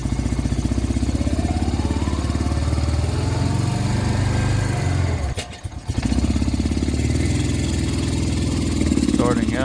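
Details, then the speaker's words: Honda Rancher 350 ATV climbing an embankment in second gear: engine labors flat and stumbles, revs sagging, some smoke; angle sensor, CDI and vacuum lines ruled out; clogged carburetor jet suspected. "out in second gear, see, it's not wanting to go. A little bit of smoke coming out too."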